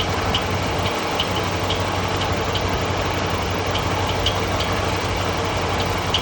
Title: Hemi Charger Chirping noise